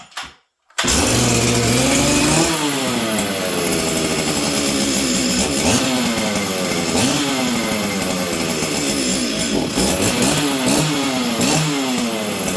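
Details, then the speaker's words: Stihl 044 Arctic chainsaw, cold, on choke, before repair: surges and sags unevenly, revs hunting up and down; runs poorly and had died earlier, owner suspects a dying ignition coil, unconfirmed. "okay friends so you guys can hear this thing's not running very good"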